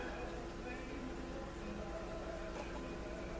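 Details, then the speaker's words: Motorola 56CC2 tube clock radio powered up, tubes hot but voltage far too low: steady low hum with faint fixed tones and no program sound, no volume at all; fault not yet found. "So it just sits there and hums. No volume, no nothing."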